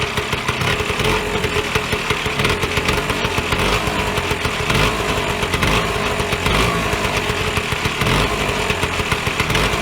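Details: Vyatka Elektron (VP150M) two-stroke scooter, long stored in a garage, first start with no fuel preparation; fast, crackly buzzing beat holding a fairly even idle with no knocks or misses; normal idle.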